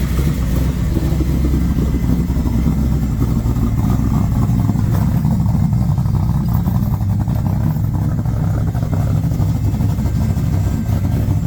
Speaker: right, let's go for a drive real quick. Sounds good as always.